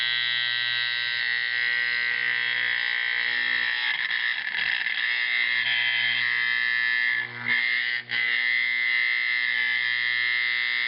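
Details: Simplex 4051 24 V DC horn converted to a 24 V AC 4050, after adjusting the bolts while it sounded: a steady, harsh, even buzzing blare with brief dips at the end. The horn is now adjusted properly.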